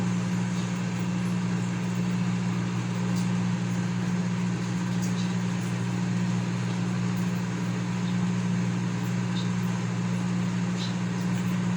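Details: Consul CM020 20-litre microwave after magnetron replacement (previously loud noise and no heating), heating water for one and a half minutes. Steady low hum with even fan drone, no buzzing or arcing; normal running.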